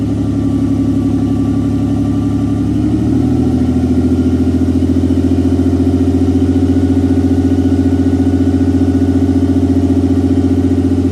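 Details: 1992 Nissan 300ZX Z32 NA-TT, first start after engine install with little else connected: loud steady idle with a slight stumble. Rough, rich miss from a large vacuum leak; a smell is noticed.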